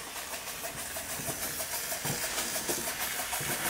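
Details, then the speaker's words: Weeden 38 model steam engine, at least 105 years old, previously leaking steam badly: soft slow chuffs about three a second over light steam hiss, evenly spaced and quiet; running properly though slow. "Well, that sounds hopeful. Yes. Not exactly the fastest steam engine in existence, but it is running. Bear in mind, this is at least 105 years old. And very quiet too."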